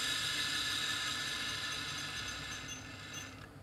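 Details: Old scrapyard hard drive, powered on: high steady whine slowly sags in pitch and fades out over about three seconds until it stops; drive fails to stay spun up.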